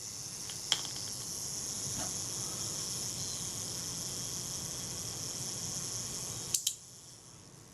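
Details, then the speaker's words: Kodak Retina IIIc after servicing a previous owner's failed repair, self-timer tested before shutter speed adjustment; fine, fast, even whirr for about six seconds, then a crisp click as the shutter fires, self-timer working correctly. "Cock that, set the self timer. What happens? Shutter's timing out."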